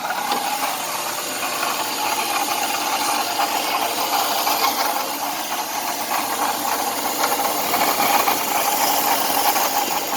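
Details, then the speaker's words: 2004 BMW 530i petrol engine runs with a hissy, rattly noise and a faint thin high-pitched screech; source unknown, owner asking for help locating it after fixing sensors. "I have some engine noise, so if anybody can help me with this engine noise, that would be greatly appreciated."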